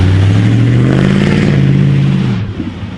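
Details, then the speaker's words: Ford F-150 5.4 V8 startup and revving. The deep note climbs under throttle, with exhaust pops, and falls back smoothly. It runs normally. "we'll get the little startup of the 5.4 which sounds pretty dang good if i do say so myself oh those pops are nice they're nice"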